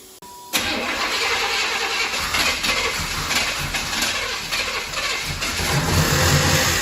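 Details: Ex-police 1992 Chevrolet Camaro B4C 1LE V8, not run under own power in 10 years, after fuel injector refit: starter cranks briefly, V8 catches and settles into a steady even idle with no stumble; starts and runs normally.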